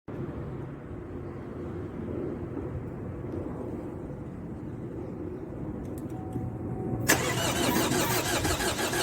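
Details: 2012 Chevy Cruze 2.0 diesel that won't start (later fixed): the starter churns at an even rhythm for several seconds but the engine never catches, then a harsh hiss. Crank, no start.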